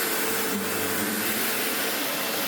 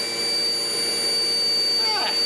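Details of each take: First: Sebo X4 Pets Eco upright vacuum after refurb, with the missed part refitted: steady, even roar and airflow hiss on carpet, no rattles or surging, head nice and grabby. Airflow up to 17.8 mph, water lift a solid 70; normal running. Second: Sebo X4 Pets Eco upright vacuum, free and uncleaned before service: steady motor roar with a sharp, constant high whistle on top, blamed on a gasket gone missing. It still runs, probably needing a vacuum-out and new bags.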